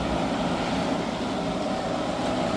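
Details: Hyundai portable AC after leak repair and recharge (it had gone warm after two weeks), cooling with condensation building up: loud, steady rushing fan noise over a constant hum, no rattles or squeals, running normally but noisy.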